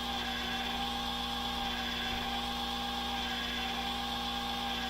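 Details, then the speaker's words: Nautel ATU-HP antenna tuning unit tuning at about 30 W reduced transmitter power after an output network alarm: a steady, even whir with a constant hum and fixed tones as the R tuning motor increases (it reaches its max limit) and the L tuning motor decreases; normal operation. "you can hear the R tuning motor it's actually increasing right now. The L tuning is now decreasing, so we'll just give it a little second and it should tune up."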